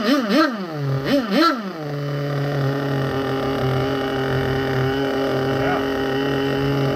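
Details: Vintage nitro RC engine (HPI RS4/MT2, OS tagged) started after refuelling and reattaching a leaking fuel line that kept slipping off the tank nipple. A few sharp revs on startup, then a steady, clean high-pitched drone with no misses; healthy.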